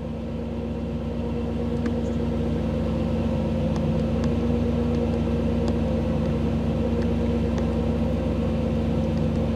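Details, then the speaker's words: 1985 Camaro IROC-Z with TPI and a new engine build, cold start with a scan tool connected. Engine is in open loop with airflow set slightly high: a steady, smooth, slightly raised hum with no misses, a normal cold fast idle. "the engine's uh engine is cold so things are are set up a little bit high i'm set up a little bit high airflow and such are a little higher than normal"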